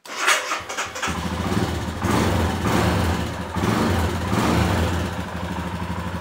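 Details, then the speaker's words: Royal Enfield Himalayan 411 after replacing the failed fuel pump with a reused pump from a Bullet, petrol added: short crank, fires up and settles into an even thumping idle with no stumbles, no leaks; normal start and idle. "[Music] try yeah sounding good chcken over good yeah double check no leaks"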